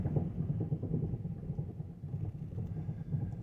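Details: 2009 Mazda5 on stands with the front wheels off and the hubs spinning: a low, uneven grinding rumble with rough pulses, worse after a transmission fluid change and better in reverse. The owner suspects the transmission, doubts the axles, and rules out the wheel bearings.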